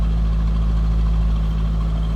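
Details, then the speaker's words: 2004 Chevrolet Corvette C5 convertible, likely LS1 5.7 L V8 about 350 hp, about 38,459 miles, hood open: deep steady low rumble, even firing beat, no ticks or knocks; normal idle. "let's listen to it sounds like you'd expect nice stackle for bet to"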